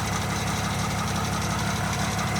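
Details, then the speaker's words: Nissan Navara V9X 3.0 dCi diesel idling with AC on: fast, light clicking rattle over the clatter, gone when AC is off; early-stage failing crankshaft pulley (harmonic balancer), tensioner and AC compressor bearings already replaced. "I believe that you can hear that rattling sound it comes on only when the a AC see it on"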